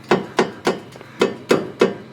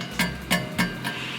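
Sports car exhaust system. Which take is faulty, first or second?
first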